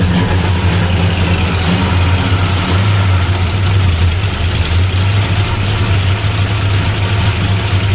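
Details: 1975 Plymouth Roadrunner that sat for 20 years, first running on battery only: an uneven, loping, lumpy idle that never settles. It is suspected to be flooded or running lean, not confirmed.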